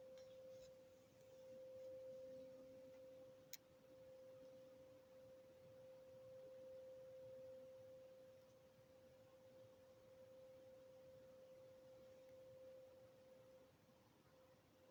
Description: I think the noise is coming over from Morriston it sounds industrial.